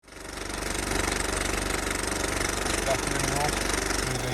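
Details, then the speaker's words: Suzuki Ignis, engine running: a steady whirring under the even idle that holds its pitch, caused by worn water pump bearings; the water pump was replaced. "ignis in today with a whirring noise when running. So we've just diagnosed it as a water pump, as you can hear."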